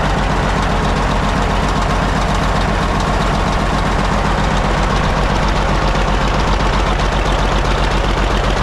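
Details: Caterpillar D8 2U crawler main engine running after its first start, revived after the pilot (pony) motor was sorted: even chug at about 230 beats a minute with a solid deep rumble; motor sounds fantastic, healthy running.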